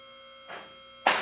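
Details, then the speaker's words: Newly installed vehicle lift raised to the top on its first run before adjustment: two separate sharp metallic clicks about half a second apart instead of together; the safety locks are out of sync and need adjusting. "at this point we have not adjusted them so they're not clicking all at the same time"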